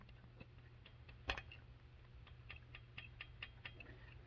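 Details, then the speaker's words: Chinese dual-sport engine turned by hand after valve lash adjustment (previously no lash): light, crisp ticks of the rockers tapping the valves with proper clearance. "that is the lash set i didn't have any before now i have some"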